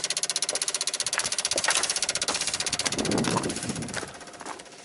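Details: 1995 Dodge Ram V10 cold no-start, key on: rapid fairly even ASD and fuel pump relay clicking fading toward the end; PCM 8-volt reference sagging near six volts; bad PCM suspected.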